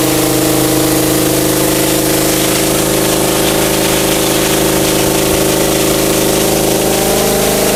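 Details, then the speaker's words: Mitsumax 10 hp vertical diesel on a 3-inch high-pressure water pump (3,000 rpm rated), full throttle: steady, even drone with firm constant tone, no knocks or surging, pulling the load cleanly; normal running under load. "เอาเดี๋ยวรอสักครู่โอ้โหถือว่าแรงดันสูงมากนะครับนี่ผมใส่หัวปรับฝอยเข้า"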